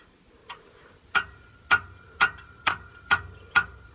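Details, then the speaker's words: 2002 Nissan Frontier 3.3L V6 4x4 idling in gear, held on the brake: sharp metallic ticks, about two a second, from a bad exhaust mount tapping against the muffler; exhaust rubber connections otherwise fine. "I hear a rattling sound and I've just checked all of my rubber connections and stuff like that where the exhaust is connected and they're all good except for one right there that's that rattling sound"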